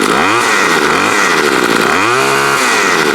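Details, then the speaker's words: Bolens BL110 25cc two-stroke trimmer with a new carburetor, fuel lines, fuel filter, spark plug and air filter, no carb adjustment, cutting: crisp buzz dips as the line bites and recovers to full speed; normal running under load. "That's pretty good. Straight out of the box, didn't even need to adjust it. Cuts good."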